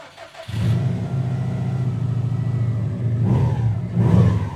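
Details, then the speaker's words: 2007 Subaru WRX STI after rebuilding the blown engine, first start before test drive: engine settles into a steady even low rumble with clean revs, no ticking or leak sounds; running healthy. "sounds way better now it sounds real good"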